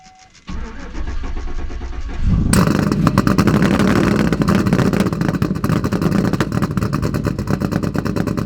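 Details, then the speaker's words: Cammed Silverado, cold start after the spark issue was solved: cranks, catches and settles into a lumpy, uneven idle with irregular stumbles, now running on all eight; rough running that the owner blames on bad gas and timing that is off. "she's finally running on all eight now granted that sounded terrible um i don't know how it sounds on camera yet but in person you could definitely tell that there is some bad gas and the timing is definitely off"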